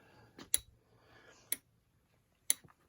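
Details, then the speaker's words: Williams System 11/Data East pinball board on a test rig running Earthshaker coil test: crisp single relay clicks about once a second as it cycles through the multiplexed coils; normal relay clicking. "and you can hear some clicking coming from this relay"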